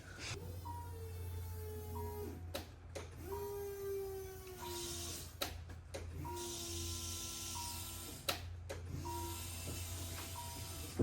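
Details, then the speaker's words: Car that sat long with stale fuel, refilled with fresh gas: about four two-second electric hums with a rising whine, one per key cycle, the pump seeming to slow and work hard as it primes; normal fuel pump priming before start. "probably like three or four times until I hear the fuel pump low it up it like slows down it sounds like it's doing a lot of work"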